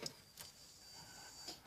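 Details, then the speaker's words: V6 in CF Bedford van after new fuel pump, injectors, coil pack, leads and regulator: key-on thin high whir for about 1.5 seconds then stops, fuel pump priming the line. "if I switch it off and wait I think it's for 15 seconds you'll hear the fuel pump come on again and get a bit of fuel up to the fuel line so I'll just do it a couple of times so that it fuel line is primed"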